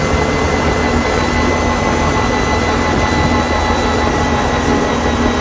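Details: Can-Am Renegade 570 with whine present since purchase at 1,000 km: a steady high-pitched whine over engine and wind noise, most obvious at 30-60 km/h under constant throttle.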